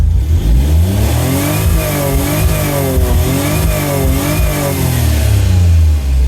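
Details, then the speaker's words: Autozam AZ-1 Suzuki Cara after new fuel rail, cleaned injectors and regulator: very smooth idle, quick blips top out around 6100 rpm versus former 7300, then slow return to idle, better than before. "So it doesn't rev as high as it used to. Oh yeah, returning to idle is definitely still not the strong suit of the keisport, but that's still pretty good actually, relative to what it was."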